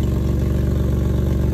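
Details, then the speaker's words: Jeep Liberty idling after DIY repair of cracked exhaust pipe with new flange: steady idle with quick even puffing pulse; still sounds like an exhaust leak but much quieter than before, owner suspects a hole in the muffler. "still sounds like an exhaust leak but it's a hell of a lot quieter than what it was maybe there's a hole in the muffler or something"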